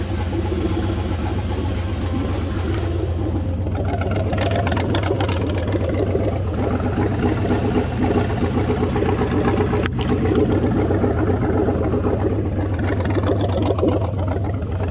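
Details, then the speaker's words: LS1 V8 mini truck with stock torque converter, warming toward 90 degrees before fans and pump kick in: deep idle wavers, stumbles and hesitates with fan whirring; still not right, owner hopes it improves when warmer. "so it's just still stumbling and hesitating"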